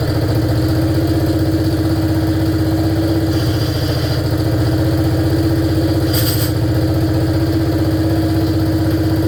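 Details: 1947 BMW R35 motorcycle after sitting for decades: old twin idles with steady thump and loose, uneven rattle over it, gone with clutch pulled; gearbox rattle, cause unknown.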